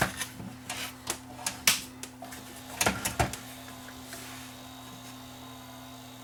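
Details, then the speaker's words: JVC XL-M307 CD player not loading discs: a few clicks then a steady low motor whir with no tray movement; loading belt slipping, replaced. "i think it's slipping i think that's the problem with it with this unit is uh loading belt is slipping"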